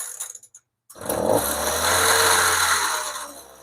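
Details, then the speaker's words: Chainsaw after its low-speed carburettor screw was richened slightly, about 1/16 turn, while watching the primer bulb: it screams to full throttle, then sags and runs out at the end; fuel starvation is suspected. "Sounds better, but it runs out at the end."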